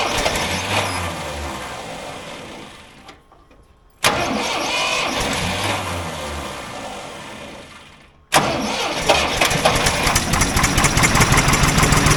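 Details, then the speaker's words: Old Ford loader backhoe, sat over a year (likely 5+ years unused), first start after revival: starter cranks, engine catches with a roar and settles into a steady run on its own without starter fluid; starts and runs fine. "it fired up it sounded pretty good it was running on its own you know without the help of starter fluids that's good"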